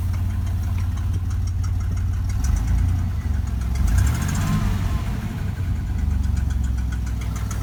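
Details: 1993 Chevy 4.3 L V6: low steady idle with a faint, quick, regular tick on top; ticking at idle, suspected exhaust leak, not confirmed.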